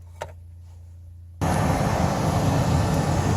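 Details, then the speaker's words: Blower motor on a Mustang, run with its ground jumpered by heavy wire: near-quiet, then a steady, even low whooshing hum starts abruptly. The motor runs fine, with a different pitch on one switch position. "you can hear my blower motor running now one switch will work right and you can see it's kind of a different pitch"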